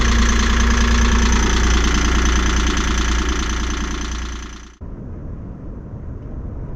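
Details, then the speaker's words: Three-cylinder Yanmar boat diesel after injector cleaning, previously running on only two cylinders: lumpy, uneven idle at about three pulses a second, then cuts out, sounds like missing on one cylinder; rough idle, cause not confirmed. "We think we may have fixed it, but we're not too sure cuz later on last night we started the engine again and it was still having issues"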